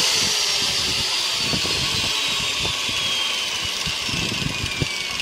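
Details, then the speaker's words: Hand grinder fitted with a 4-inch circular saw blade, run at normal mains voltage before slowing it with a 2000 W dimmer: loud, high, steady whine with a hissing edge and slowly falling pitch; blade spinning too fast and loud. "try to lower the voltage because it's loud."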